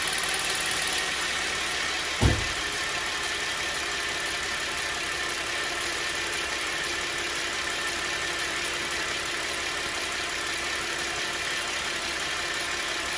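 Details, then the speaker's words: 2010 Chevy Traverse power steering pump at idle: a steady high whine that never changes pitch, worsening over weeks despite cleaning the reservoir and refilling with thicker fluid; steering works fine; pump judged noisy and possibly failing in future. "Okay, guys, I'm just going to conclude that this pump is a noisy pump that's possibly going bad in the future."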